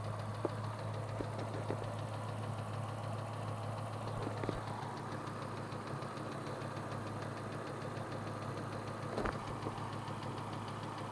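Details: 2003 Ford Mustang Cobra V8 idling with a low, even drone and a faint, light valvetrain ticking, louder underneath as it echoed into the cat. The cause was a failing cam roller from a clogged cat backing heat and carbon into the engine; the cats were removed.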